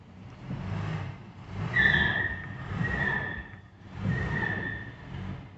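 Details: 1968 Mercedes-Benz 280S, brakes locked up from sitting: a high squeal comes and goes over a low scraping drag as the car rolls slowly; one wheel drags while the other side seems not to turn; seized brake.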